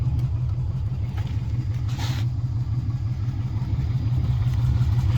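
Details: 1958 VW Beetle Subaru swap, 2002 Impreza 2.5 naturally aspirated flat-four on a KEP adapter to VW IRS transaxle: smooth, even low idle with a steady beat, no knocks or misfires; normal healthy idle.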